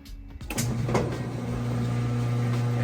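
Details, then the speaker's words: Maytag direct-drive top-load washer switching from wash to drain, overhead heater noise in background: a clunk, then the motor kicks in with a steady low hum as water drains out fast with the basket not spinning in neutral; normal switchover. "there it goes draining the water out to make a mess just draining that water out nice and fast and so it is not spinning right now as it goes into spin neutral mode"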